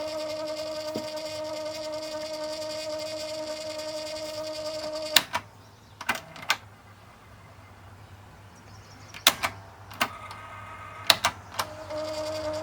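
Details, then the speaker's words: 1980s Sound Design 4653 boom box cassette deck after belt replacement and cleaning: steady motor whine cuts to clicks and short restarts before settling, transport stutters on startup. "i don't like the way that stutters when you first turn it on it's just everything kicking in now"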